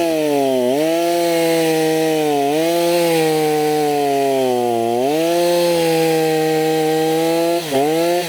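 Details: Stihl MS290 chainsaw after repair for heavy smoke and no-start, with new Oregon bar, during test cuts: clean steady two-stroke howl dipping under load and recovering crisply, no misfire; normal running, slight smoke expected to fade.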